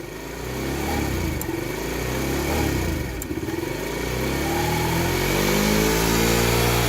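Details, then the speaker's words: TaoTao 50cc Chinese four-stroke scooter after new carburetor float fitted and fuel/filter found dirty: engine buzzes unevenly and sags on throttle instead of picking up, still bogging and won't idle; cause unclear, owner suspects dirty fuel needing to run through. "probably need to adjust that to a little bit oh no it's still bugs look at this"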